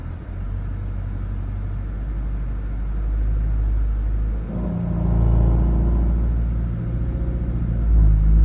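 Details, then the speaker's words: Subaru SH in drive with handbrake on, engine revved to 1500 rpm against the brakes: low pulsing rumble deepening under load, a weird vibration sound. "Okay, so the car is in drive and the handbrake is on and I'm revving the the motor to 1500 RPM."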